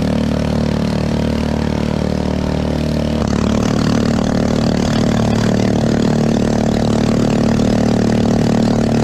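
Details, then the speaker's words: 212cc 6.5hp Honda-clone 4-stroke driving a homemade jet unit in a river: loud, low-revving drone with a heavy slow beat that never picks up; bogging under load, barely moving the boat, cause unconfirmed. "sounds like it's struggling well guys real loud and real slow"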